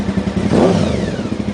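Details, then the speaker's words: 1992 Honda VFR750 (RC36) V4, 60,000 miles, carbureted, after fixing vacuum leak at coupling and carb boots and replacing factory pilot screws, carbs not yet synced: crisp throttle blip climbing and falling cleanly without stumble; normal throttle response. "look at that that's some serious serious improvement there it's due to a vacuum leak"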